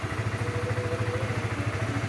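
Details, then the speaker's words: Honda CBR150R after replacing starter motor carbon brushes, started with one press; even steady single-cylinder putter at idle with regular low pulses, no knocks or grinding, running cleanly. "Udah kita coba nyalain, itu cuma sekali pencet udah bisa nyala teman-teman, jadi benar-benar berhasil lah."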